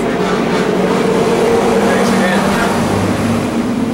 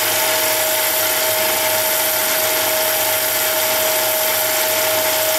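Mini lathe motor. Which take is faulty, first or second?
first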